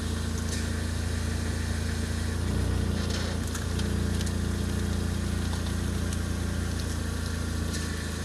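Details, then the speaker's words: Ford Focus ST170 at idle with the steering turned to full lock: the engine note dips and strains, with a faint squeak and pump noise from the power steering pump side. Cause suspected, not confirmed. "So you hear that pump noise, like a pump noise when I put it on a full lock."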